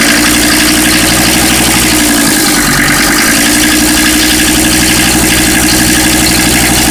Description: Mercedes OM617 swapped into a Toyota pickup, has a weird noise that sounds like a gasser knocking, video uploaded for help with noise diagnoses.